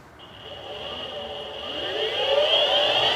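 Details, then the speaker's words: Boosted Board Mini X electric skateboard after replacing its 3-month-old motors that had been clicking, belts re-fitted: clean whine rising steadily in pitch as the motors spin up, no clicking; motors healthy. "Listen to that. No click."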